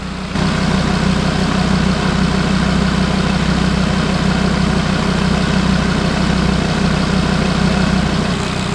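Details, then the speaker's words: Audi RS3 DAZA engine fully warm at idle after coolant bleed, thermostat open and radiator fans running; smooth, even steady low hum with no rattles, clunks or bangs, normal healthy warm idle. "It sounds epic as well. No one rattles, clunks, bangs, nothing. It just sounds absolutely brilliant."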